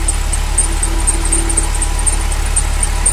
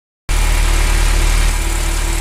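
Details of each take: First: Ferrari V8 idling after new sensors fitted, with an uneven stumbling misfire when the cylinder 1–4 bank sensor is unplugged; loose fan belt present; runs normally once reconnected. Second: Ferrari V8 idling after misfire fix with new sensors for cylinders 1-4 and 5-8: steady, even low rumble with no stumbles; fan belt currently loose.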